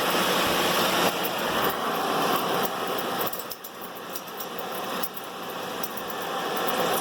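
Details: Ford Edge on a lift, front wheel spinning in Drive: hissy whirring with light ticks three or four times a second; customer complains of front wheel noise; suspension items checked fine, source not yet identified.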